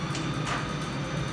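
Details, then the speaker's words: DAKA elevator from 1962, modernized in 1986, in the machine room: even, steady motor hum with a light click as the brake releases properly, motor starting at full speed with no scraping or hesitation. This is the normal reference. "Motor starts at full speed and everything is as it suppose to be."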